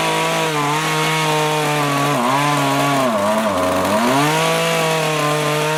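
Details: Small two-stroke rototiller tilling soil after carburetor cleaning and low/high mixture adjustment, following winter storage with fuel in it: revs high and steady, bogs briefly as tines dig in, recovers cleanly, pulling well.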